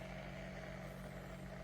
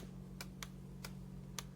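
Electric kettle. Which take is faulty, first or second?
second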